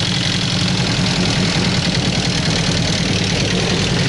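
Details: Sierra petrol engine knocking at idle: a steady, rapid knock riding over its low rumble.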